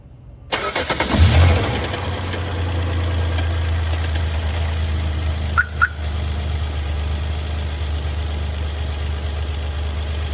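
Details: 2011 Hyundai Veracruz on cold start: steady low idle hum settling right after firing with a faint irregular tick over it; noise occurs on cold start, cause unclear.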